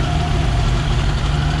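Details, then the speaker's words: 1966 Ford Bronco that sat for years, cylinder 5 low on compression, idling slightly high while warming up: a low, lumpy idle with an uneven exhaust thump that doesn't sound right; the owner hopes heat will free stuck rings, or it may need a new motor. "so we'll give you a little sound clip here it doesn't sound quite right"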